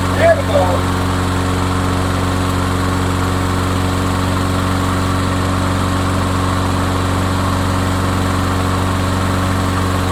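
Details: Craftsman mower, single-cylinder engine, after repair of a no-run complaint: steady, even beat at constant speed with no misses or stumbles; running healthy.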